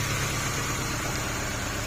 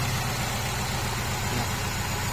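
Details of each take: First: Honda CR-V 2nd gen with stumbling, shaking idle: rough idle with hiss and an uneven low chug. Lifting this cylinder's ignition lead causes no change, showing it has no spark, so it would run smooth if good. Suspected cause is a failed ignition coil, to be replaced. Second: Honda CR-V 2nd generation (LPG-equipped) after the faulty ignition part was fixed: smooth, even low idle with a steady rumble and no shake, miss or stumble. The stumbling is cured.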